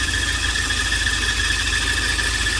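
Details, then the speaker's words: Volvo 940 idling, engine bay: constant high-pitched squeal; water spray test showed all three auxiliary belts slipping, power steering belt the main culprit, alternator belt also; all three need tension adjustment. "So, all three belts making a squeal, so we need to do adjustment on all three belts."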